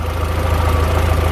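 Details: Turbo engine at startup after an exhaust leak was fixed: smooth, even low idle with a steady pulse and no puffing or chuffing from the manifold; engine sounds healthy.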